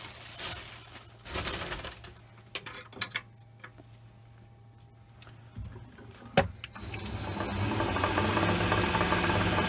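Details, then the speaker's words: Lathe turning tapers: loose, irregular rattle about three per second over the running and cutting noise; a pulley loose on its shaft is suspected. "That rattle's bugging me now."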